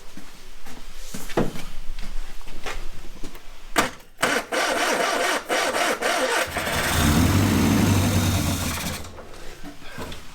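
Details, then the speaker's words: Ford Corsair 2000E barn find, sat for years, after replacing a faulty plug lead that wasn't sparking and wiring the coil positive permanently: cranks, then catches into a steady, even low rumble, running about 30 seconds. "There we go. One engine that runs."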